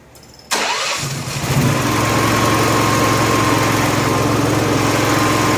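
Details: Honda gas-powered AEC welder generator, electric fuel pump now on factory wiring (pump powered only from cranking onward), hoses clamped with no leaks: catches and settles into steady idle with a faint whine, then starves within about a minute. Fuel starvation; the fuel shutoff was rated for natural gas, not gasoline.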